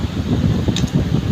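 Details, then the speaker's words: Electric fan after repair, cracked part removed and motor housing re-screwed at the side, oscillation no longer working: steady, even low hum at constant speed, no more knocking or rattling as before; runs normally. "Hindi na siya iikot nga lang steady na siya. Kaysa naman kanina umiikot nga n ano naman maingay naman. Kumakalabog ngayon hindi na."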